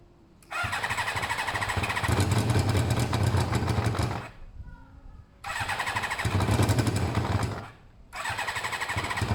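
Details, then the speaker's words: Motorcycle with pod air filters: it catches, revs raggedly and sags twice, nearly dying between bursts, starving for air through over-restricted pods pulled forward; the owner plans an extra small drilled hole. "It was struggling. You could see it was struggling because the whole pod was moving forward,"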